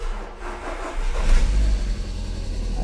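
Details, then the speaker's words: VW Gol 1.6 that stalled after a speed bump and would not restart; the ECU did not talk to the scanner. After swapping the low work battery for the car's own battery: short crank, catches, settles to steady idle; normal start. "encendió. Correctamente."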